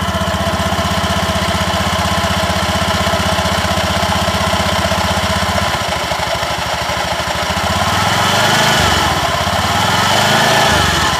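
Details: Honda Beat eSP scooter CVT after replacing the worn-out clutch shoes that caused a clunking at takeoff: even single-cylinder idle thumping about four times a second, revs up smoothly with no rattle or judder; normal clutch operation.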